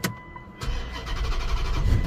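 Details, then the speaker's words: Car that won't start after suspension work at another shop, starter fluid sprayed into the intake: a quick crank, then it runs roughly for a moment and dies. Fuel pump likely suspected; power and ground at the pump connector still to be checked. "oh yeah yeah it's not going to run long guys we likely need a fuel pump"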